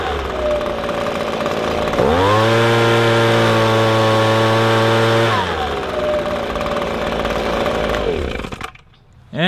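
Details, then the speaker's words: Echo ES-250 two-stroke leaf blower, screw adjusted while run wide open: snaps from idle to clean steady high scream about three seconds, no bogging, then settles; normal full-throttle run. "about all there is to it just adjust that puppy until you hear it clear up and it sounds right"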